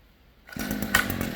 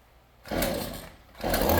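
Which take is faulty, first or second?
second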